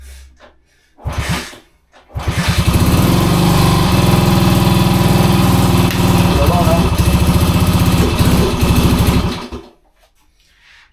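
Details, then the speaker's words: 1966 Honda C200 single-cylinder, off the road since 1972, on full choke: it fires up but runs with a lumpy, uneven beat and stumbles instead of a clean idle. "Oh, listen to that. Oh, it don't sound well, but it runs. That don't sound well at all."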